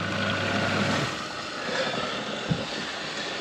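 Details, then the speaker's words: Saniflo macerator after repair, with the object that was causing the earlier noise removed. Steady, even whirring hum with no rattling or grinding: the macerator runs normally. "what we wanted to hear so as you can tell from earlier on that noise was gone was that in there causing all sorts of problems"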